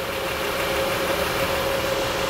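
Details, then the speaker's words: 2004 Acura TL 3.2L after engine replacement and misfire repair: steady, even, smooth idle with no knocks, misses or ticks; check engine light no longer flashing or on. "okay now it's running smoothly check engines light not flashing or anything not even on anymore"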